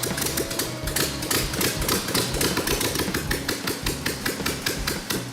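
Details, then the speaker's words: Old high-mileage Volkswagen engine, said to be a turnkey runner, carburetor linkage checked free, fuel pump and oil checked: steady, even beat at a fast idle with crisp regular rhythm, no misses or knocks; healthy running. "It's a great engine. But, yeah, it's a turnkey motor, [music] just like you said."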